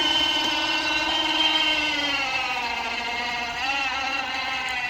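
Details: Badland 2500 lb winch newly installed on a Yamaha Wolverine quad (about 500 lb) lifting the quad: steady electric whine sags slightly in pitch under load; the motor sounds like it's struggling, possibly due to the battery; the winch then worked and its automatic holding brake held.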